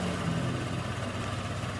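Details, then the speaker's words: Rebuilt Honda Vario 125 engine, first test run after full reassembly and idle-speed adjustment, radiator cap off to watch coolant: smooth, even idle with steady low hum, no ticking, knocking or misses; now quiet unlike before. "Nah tinggal dicek aja suaranya sudah halus kembali beda dengan yang pertama kalinya teman-teman"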